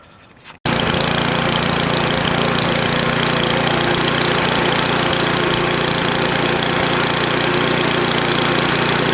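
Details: NOMA 8hp snowblower after clearing a plugged gas line: catches at once, steady fast even putter about 220 beats a minute, no misses; runs okay, warmed up for oil change.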